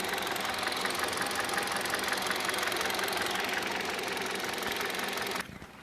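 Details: 2015 Kia Rio engine: sharp metallic tapping about three per second, steady over the idle until shutoff. Engine knock, source not yet clear.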